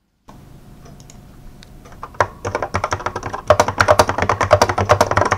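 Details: 1986 Apple M0110A keyboard with Alps SKCC tall cream switches, typing demonstration; about three strokes a second, each leaving a tinny ping; heavy, smooth switches that ping like crazy; keyboard switch spring ping.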